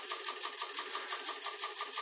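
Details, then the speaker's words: Mackie SRM450v2 powered speaker blowing mains fuses, on a bench supply with current limit set to three amps: sharp high ticking about six times a second as the supply trips current limit; intermittent overcurrent fault. "this is going into current limit which is set all the way up to three amps"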